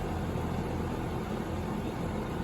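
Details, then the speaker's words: Bryant AC unit on a no-cool call: steady fan whoosh only, no compressor hum; fan runs but compressor isn't starting, found failed, leading to change-out. "lady says it's not cool sounds like the fans running i don't hear the compressor"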